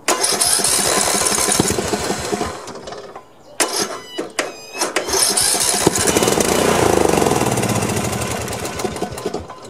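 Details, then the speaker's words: Snapper 1438S rear-engine riding mower, previously only backfiring, spark plug swapped: rough cranking with a few sputtering fires that catch briefly and die, doing better than before. Fuel delivery through the carburetor is still to be checked. "so it did a lot better this time than uh than before before it just sounded like backfiring but at least this time it actually tried to crank"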